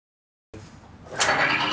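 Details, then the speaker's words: Timken bearing test rig lubricated with Modern Spartan Systems Accuracy Oil: the rig spins up to an even whir with no screeching and no smoke, running 20 seconds with no heat and only a tiny discolored spot. "you can immediately hear the difference there is no screeching and no smoke"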